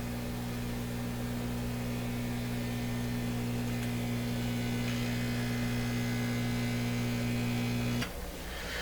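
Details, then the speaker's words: Stewart Warner R514 tube radio on first power-up; its speaker reproduces a steady low mains hum with a buzzy edge, ending in a click. Air escapes through cracks all around the cone, so the cracked speaker cone is leaking air. "so i hear a fairly nice hum um fairly well produced by the speaker but i also hear a it's hard the sound of air escaping through a small opening that's what i'm hearing small openings are these cracks all the way around"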